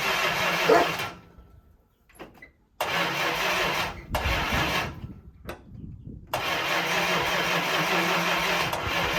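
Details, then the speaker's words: 1965 Chrysler 300 with 383 V8, sat 17 years in California desert since 2005, first start on battery and a gallon of gas fed to the fuel line: several cranking bursts with pauses, then catches and settles to steady run; owner guesses timing slightly off. "Come on. Timing's off just a squeeze, guess."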